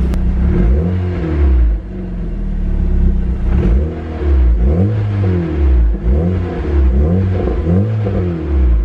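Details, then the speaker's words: Built MK6 Golf R after aftermarket CAT cam install and cam tower reseal: repeated clean throttle blips rising and falling smoothly from steady idle, no knock or tick; runs fine though smoking heavily, likely burning oil; cam timing verified correct. "Alright, the engine sounds good, but I'm going to just verify that the cams are timed correctly, just in case."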